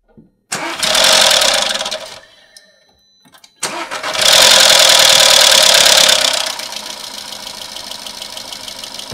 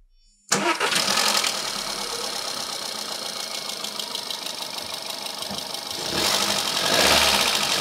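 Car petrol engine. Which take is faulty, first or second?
first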